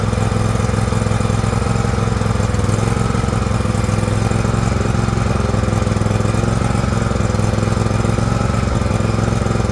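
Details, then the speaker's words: John Deere LX178 with a liquid-cooled Kawasaki twin, run on a rainy day: chugs with a slightly uneven, loping, rich beat while the carburetor floods and leaks fuel onto the muffler. It had quit when slowed down. Carburetor flooding. "all right it runs the engine's great it's flooding over something terrible actually leaking fuel right out onto the muffler"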